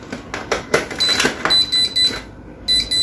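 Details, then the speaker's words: Mist fan with mosquito-repellent mode: sharp high-pitched beeps in quick bursts with pauses and a blinking light. This is the water-level sensor's empty-tank alarm, which stops once the tank is filled. "Tức là cái phun sương này công tắc cảm biến mực nước không có nước nào kêu mình đổ nước đầy vào là nó sẽ hết kêu nó sẽ hết nháy nó kêu để báo thôi nhưng mà vẫn nháy nhé"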